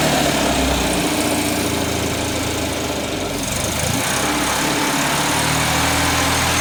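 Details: 1979 Datsun 210 engine with an uneven, stumbling exhaust beat and dropped pulses as revs rise and fall; a misfire, cause not yet found.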